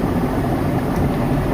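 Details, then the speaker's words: IFB front-load washing machine on full spin: heavy, uneven low rumble with rough churning from a worn drum bearing; drum spider also appears broken; bearing and drum to be replaced. "आवाज़ आप सुन रहे हो, इसी आवाज़ को हमें हटाना है। तो इसमें हमें बैरिंग चेंज करना पड़ेगा।"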